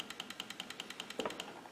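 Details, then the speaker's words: Purge solenoid driven by a Power Probe IV pulsed command at a fast rate, not a 100% duty cycle: crisp, even clicking about ten times a second as it snaps open and shut normally. "Of course, you can hear the purge solenoid clicking."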